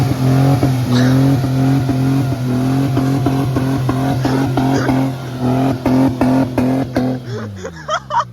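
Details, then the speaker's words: Toyota LandCruiser exhaust before new Pacemaker extractors were fitted, from earlier trips: deep, steady rumble with throttle blips rising and settling cleanly, no leaks or rattles; normal exhaust note. "It sounds pretty much the same as it did then."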